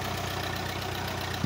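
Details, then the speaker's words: Ferguson TE20 tractor that used to pop in the exhaust and idle up fast, now with a fresh tune-up and timing set: steady, even low idle with a smooth regular beat and no popping or misfire; normal running. "ladies and gentlemen that is exactly the way a ferguson tractor is supposed to sound with a fresh tune-up on it and fresh timing set"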